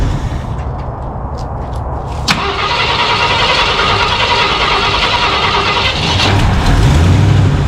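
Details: Cold 1968 Ford F100, parked about 12 years, cranks steadily at three to four beats a second without catching; the fuel pump was switched off, so no fuel reached the engine.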